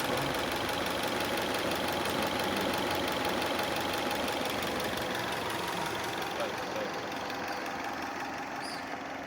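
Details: Subaru Legacy BL5 petrol engine at idle with a steady, regular knock repeating about three times a second: engine knock.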